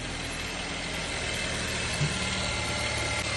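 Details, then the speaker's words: Geely Coolray (BHE15-EFZ engine) at 22,000 mileage, after timing chain replacement for a chain knock. A steady, even idle with a fine high hiss and no knocking. "Заводим, проверяем. Угу. Ну, работает."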